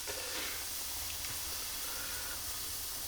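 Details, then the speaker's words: Childhood Meccano toy steam engine fired up for the first time in years: steady rhythmless high hiss of steam leaking from the top, where a fibre washer is not sealing properly; water also dribbling out. "Yeah, I've definitely got a leak out of the top there. That's not sealing properly."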